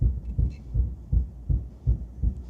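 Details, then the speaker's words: 1961 Buick LeSabre convertible with Nailhead engine, driving at slow rolling speed after reinflating tires: deep regular thumping about two and a half times per second, suspected from the driveshaft center support bearing, driveshaft to be pulled; rhythmic thump while driving. "Oh, I can hear the thump. I don't know if you guys can hear the thump, but I can hear the thump of the uh center support bearing. It's definitely not a good thump."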